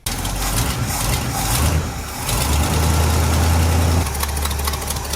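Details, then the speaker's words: 1972 International 1110 V8 at idle after revival, new belt fitted, while bleeding cooling system: rough idle with uneven ticking puff from an exhaust manifold leak on passenger side; owner thinks high-temp RTV might have helped. "Unfortunately, I still have a manifold leak on the passenger side. Probably could have used some high temp RTV."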